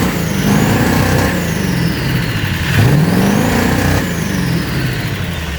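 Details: 2001 7.3L diesel with 330k miles, revving up and down: uneven lumpy beat underneath; misfire, part 1 of diagnosis.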